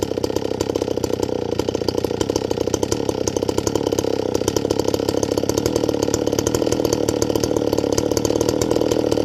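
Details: Stihl 024 AV WoodBoss chainsaw with 20-inch bar, .325 full-chisel chain, warmed up with idle screw turned in slightly: fast, buzzy high-rev run with a coarse raspy edge; high-speed jet needs leaning out.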